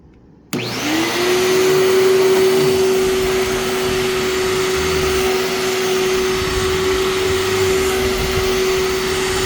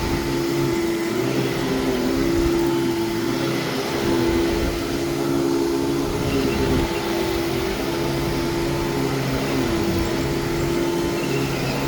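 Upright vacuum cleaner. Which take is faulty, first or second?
first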